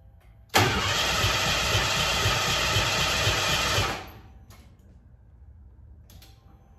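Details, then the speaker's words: Car "Abe", first start attempt after new fuel pump and tank cleaned, about 1.5 gallons in tank: steady starter cranking that never catches; too little fuel for the pump to pick up and return. "About a gallon and a half wasn't enough to have the pump pick it up and return it."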